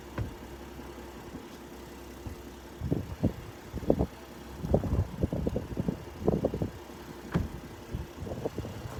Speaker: That engine, you can hardly hear it. Nice and quiet.